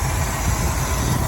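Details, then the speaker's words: Chevy V8 swapped into a Range Rover Classic, running IMCO 300A mixer and vaporizer with coated headers and HEI, already warm at idle under the bonnet: smooth, low, even burble like a heavier Rover, no misfire; owner notes slight water pump pulley misalignment, suspects it causes vibration. "It's like an obese Rover. Pretty quiet actually under the bonnet and under the hood."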